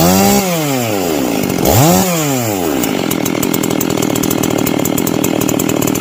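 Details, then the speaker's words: Husqvarna 261xp converted to 262xp, muffler modded, base gasket deleted, first start after rebuild: crisp revs falling away cleanly, a quick blip, then steady even two-stroke buzz; runs strong and healthy. "but this is just from start man that sounds freaking pretty good actually"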